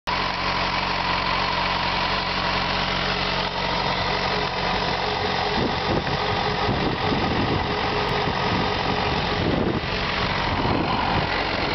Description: Ticking noise on my FZ6.